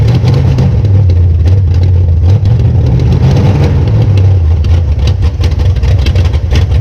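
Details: 1966 Plymouth Belvedere V8 just fitted with a rebuilt used Edelbrock carburetor replacing a flooding Quadrajet; deep, steady burble with even rhythm and no misses; normal idle.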